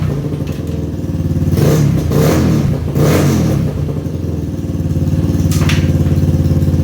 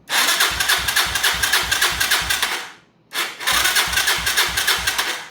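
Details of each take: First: 2011 Yamaha Raptor 250 ATV, bought not running, airbox off with no filter, running straight off the carb: rough idle with repeated grinding clatter as the starter keeps cranking while running; starter solenoid bad, needs replacing. Exhaust sounds healthy. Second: 2011 Yamaha Raptor 250, non-running, after starter replacement with carb hooked up: two strong cranking bursts with quick, even compression pulses; the new starter cranks much better, the old one was failing, but an earlier noise remains.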